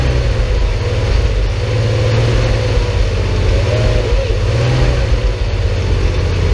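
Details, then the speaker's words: Porsche 911 flat-six restarted after 10 years of storage, with a new fuel pump and filter, a temporary fuel supply hose fix and a cleaned tank. Deep, even, steady low rumble with no misses or knocks, surprisingly smooth and quiet; normal running. "Smooth, really. Much smoother than I thought for not having run in. Odd that this ends so quiet when something's running."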